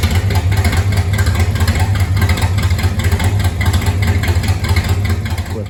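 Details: 1970 Chrysler Imperial, 440 big-block V8, parked since 1993, open exhaust: deep, loud, lumpy rumble pulsing steadily near idle with no knocks or misses; running well.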